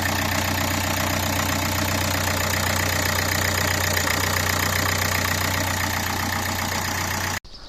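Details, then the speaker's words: 2012 Nissan Qashqai 1.5 dCi diesel after replacing the timing belt kit, water pump and rollers (belt had jumped about four teeth): smooth, even idle with no knocking, then switched off. "после того как мы завели двигатель оказалось все хорошо приятный звук стука нет стук пропал"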